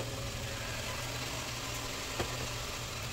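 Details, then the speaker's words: Toyota Camry idling after ignition coil and spark plug replacement: steady, even, quiet idle with a smooth low hum and no stumbling; the earlier shaking is gone, engine running cleanly on all cylinders. "So yun guys, wala nang inig. Kanina nanginginig kasi kanina. Yeah! So yan guys, wala na siyang inig. Napakaganda na ng andan na tahimik na."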